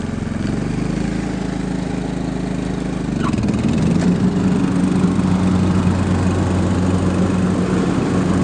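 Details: John Deere LT150 rider mower, Kohler 15 hp single-cylinder air-cooled 4-stroke, after cleaning and service; even single-cylinder chug firms up after a few seconds and holds a steady beat about 220 a minute; runs smoothly.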